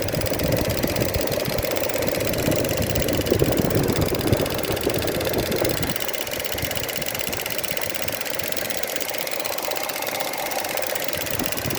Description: Noise produced by the EVAP valve on Opel Mokka 1.4 turbo gasoline